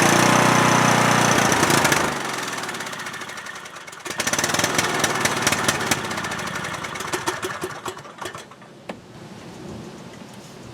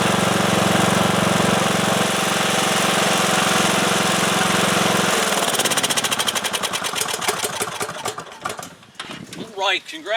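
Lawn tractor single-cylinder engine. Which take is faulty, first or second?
first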